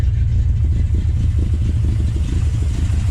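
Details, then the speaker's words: 1970 Plymouth Duster 340 V8 race car, rear exhaust, after leaning the carburetor idle mixtures; owner thinks it is running too rich and still needs jet changes: low, uneven, lumpy idle rumble with irregular stumbles, still missing and getting worse; rough running. "it's not as bad back here it doesn't just make your eyes want to fall out but it is still missing a little bit it's getting worse"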